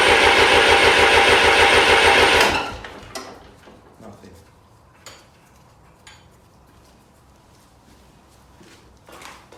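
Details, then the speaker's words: 1993 Lombardini diesel generator during restoration: steady, even cranking about three turns a second for two seconds with no firing; no diesel reaching the injectors; cranks but will not start. "all three of those diesel pipes it actually left undone so that was the problem while we wasn't getting any diesel up at this end"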